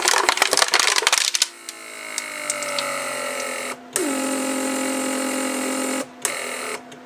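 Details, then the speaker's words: 1995 Mercedes S-class door lock (PSE) pump under the rear seat, after repair and readjustment of its circuit: a steady hum that drops slightly in pitch as the storage tank pressurizes, then shuts off cleanly and stays off. Normal operation. "hmm so what happened here is then it pumped the pressure enough pressure in the storage tank and pump shuts down and stays off that's good"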